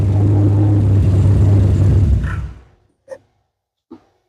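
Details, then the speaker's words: Budget GT45 turbo Mustang idling rich, then switched off: a brief rattle as the engine spins down, sounding like detonation but coming from the accessory drive. Tensioner or an added pulley is suspected. The noise stopped with the belt removed. "I don't know if you all heard that little rattle sound when I shut it off. Sound It's It sounds like detonation, but it's not. It's coming from the accessory drive somewhere here."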